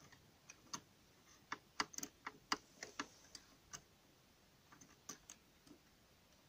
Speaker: ce qu'on entend c'est petit clic toujours bon signe les gorges se déplacent mais quelquefois se déplacent se coince un endroit il faut pas bloquer le mécanisme